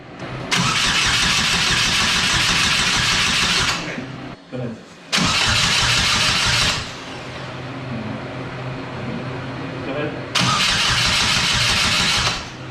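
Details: GM Ecotec-swapped Exomotive Exocet on first start: the starter cranks in three long, even bursts but the engine never fires; fuel delivery is suspected, possibly the fuel pump wire or relay.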